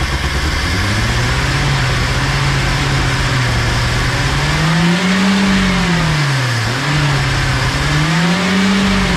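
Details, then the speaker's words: 1979 Datsun, sat about 30 years with HEI distributor, first run: engine hunts in slow surges, revving far too high and never settling; broken vacuum fitting held by wire causes a huge vacuum leak, to be plugged. "this deal right here broke off and we have a huge vacuum leak this is all just held on by wires that people have wrapped around there and right here is our giant vacuum leak"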